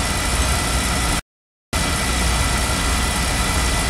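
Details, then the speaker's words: Beckett oil burner on an oil-fired furnace, test-fired after repair following safety lockout (CdS cell suspected): steady even roar with no surging or dropouts; ran past the lockout point, normal burner operation. "I think we passed the uh cut off or the lockout portion so we're going to let this run and come back in a few minutes"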